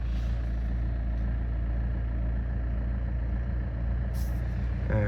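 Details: Saab 9-5 NG A20DTH diesel, 302,000 km, after fixing no-boost by freeing the stuck-open turbo VNT vanes: steady, even idle, low rumble without knocks or hunting, exhaust much quieter than before; normal running after repair.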